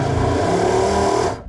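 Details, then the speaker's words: Lagoon 450 catamaran watermaker, diesel-rated replacement pump (13 A) fitted; steady motor hum runs about a second then cuts abruptly as a breaker, likely only 10 A, trips; owner plans to bypass the switch. "Okay, it's running for a second, but then it trips this breaker here. It's must only be a 10 amp breaker or something and the pump's 13 amps."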